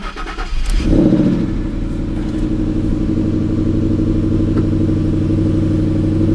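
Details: 2017 Chevy Camaro SS V8 salvage car, sat almost a year with rotten gasoline, jump-started: brief crank, catches and settles into a steady, even idle with a low regular pulse; quieter exhaust than expected, normal start and idle.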